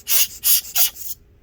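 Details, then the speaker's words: Dell XPS 15 9560 laptop fan after cleaning: three quick bursts of dry, high scraping then quiet; owner suspects pressure on the housing makes the fan blades rub, not confirmed. "you can hear that scraping sound so maybe that's what's going on"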